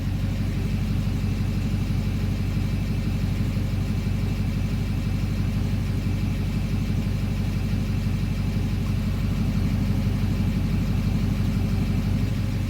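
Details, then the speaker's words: 2009 Duramax diesel that idles rough only in drive, here in park: steady, even low rumble at idle with a regular beat about twice a second, no misfire or stumble; idle smooths out in park. "idle smooths out in park."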